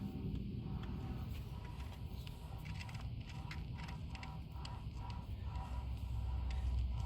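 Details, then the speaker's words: 1976 Chevrolet Corvette C3 front suspension teardown, driver's side hub spun by hand: continuous low gritty rumble with irregular clicks; owner suspects dry back bearings dropping into place, new bearings coming. "what I'm hearing is the sound of dry bearings dropping into place."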